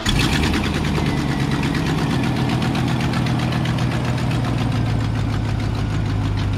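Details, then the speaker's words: Work truck V8 with 93,000 miles, check engine light on, missing or broken rear exhaust manifold bolt, at idle: fast, even ticking and puffing hiss over the steady idle, an exhaust manifold leak. "it's making a hissing noise it's a little bit louder than it should be the check engine light is on"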